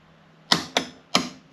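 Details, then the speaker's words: Electric Volvo V50 conversion with Nissan Leaf stack and Zombieverter VCU, starting up: three crisp clicks as pre-charge closes and opens and main contactor pulls in; contactors working properly. "Yeah, pre-charge is now closed and it's opened. So pre-charge works like it should."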